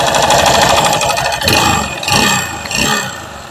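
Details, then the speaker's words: Honda Beat FI second-gen (K44) scooter engine running without the front pulley: still a harsh, gravelly clatter at idle that carries through short throttle blips. Mechanic suspects the central crankcase area; cause unconfirmed. "suara mesin depan tanpa puli depan punya injinengan Mas tetap kasar tetap kasar"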